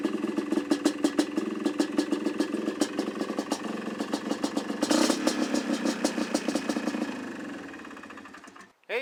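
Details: Polaris Trailblazer 250 two-stroke after a Mikuni carburetor rebuild, cold start on choke: rapid, slightly uneven popping about three beats a second, running steadily before shutoff. Normal cold start and idle.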